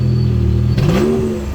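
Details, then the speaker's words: Chevrolet Camaro RS at auction, 86,000 miles, check engine light on: steady engine drone, then a short rev that climbs in pitch and fades back without much punch; sounds weak, down on power, cause unclear. "Okay, little RS with some sound on it. 86,000 miles, check engine light. Oh, that sounds so weak."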